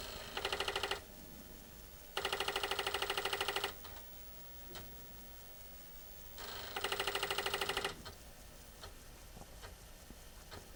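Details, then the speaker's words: Apple IIc (owned since 1985) after a motherboard replacement: bursts of rapid even buzzing ticks separated by pauses as the floppy drive seeks and reads normally, an earlier disk failure blamed on a dirty drive head. "believe it or not that actually sounds good that's what it's supposed to do and here we go it's just a dirty Drive head"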